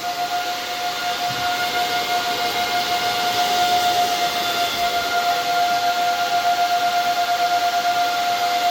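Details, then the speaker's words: KD6 Kadena ASIC miner on its first-ever power-up, about 175 W and not yet mining: a loud, steady rush of air with a constant high whine as the fans ramp up to max speed. Normal fan operation at full speed. "I don't know how loud this is going to get sounds like it's ramping up [Music] [Applause] it's getting pretty loud I think that might be Max"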